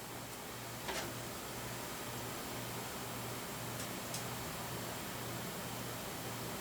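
Soft, steady airy whoosh with a faint low hum and no rattle or bearing grind; the case fan runs quietly and smoothly.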